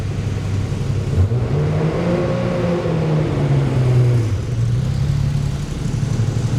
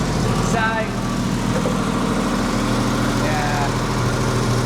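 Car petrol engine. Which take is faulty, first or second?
second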